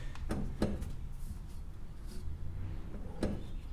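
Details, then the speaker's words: 1960 Chevrolet Bel Air lowrider: front wheel rocked by hand moves about an inch with dull knocks from a blown upper ball joint; the wheel bearing is also audible. "oh yeah 90% of that is upper ball joint I'm in the upper ball joint is blown out of this thing"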